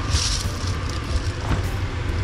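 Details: Old Atwood RV furnace running after its blower wheel was replaced and a fuse checked: low steady roar of burner and blower with no scraping or rattling; the furnace fires and runs evenly.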